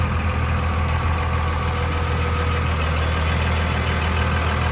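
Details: 2002 Dodge Ram 2500 4x4, 5.9 Cummins diesel, six-speed manual, about 113,300 miles: even, deep diesel clatter at steady idle with no misses, knocks or hunting; healthy engine.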